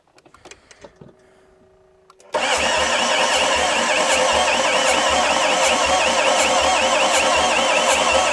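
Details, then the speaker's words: Renault Master van, non-runner: the starter churns steadily at about four compression beats a second but the engine never fires. It doesn't sound like it has much compression; cause suspected, not confirmed. "Doesn't sound like it's got much in the way of the compressions."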